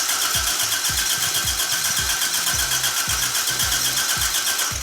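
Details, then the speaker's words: Toyota AE86 first start after ignition coil replacement and harness check; starter churns at about four even pulses a second, then the engine catches unevenly on only some cylinders, popping; timing tooth possibly off; cranking, rough partial start. "You can hear it popping twice when you have it all the way."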